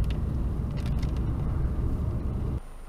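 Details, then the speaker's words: Honda petrol engine after fitting front and rear engine mount inserts because one mount had split: low, even idle rumble with a slight pulsing hum, minor vibration felt through the seat; normal idle with stiffened mounts. "you might be able to hear that vibration it's only minor though"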